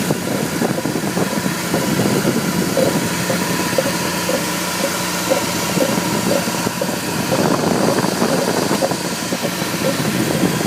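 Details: 1998 BMW E46 318i (AL19, M43 B19 engine) at idle: dull, regular "go-go-go" knock repeating steadily, suspected near the pulleys; replacing the belt tensioner and tension roller did not fix it, source unidentified.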